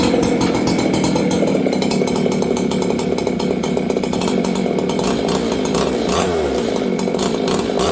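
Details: Old Jonsered 630 chainsaw with a new Husqvarna full wrap bar, first run since last used in winter. Rough, burbling idle with uneven firing and no crisp note; carburettor set too rich.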